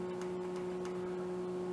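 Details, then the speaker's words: Honda GL1800 rear brake light switch, stuck down and freed with carb cleaner: regular light clicks as it cycles the brake lights on and off, over a hum from the LED headlight cooling fans. Normal switch operation. "This is actually the brake switch. When it's in, the lights are off. When you let go, it's on."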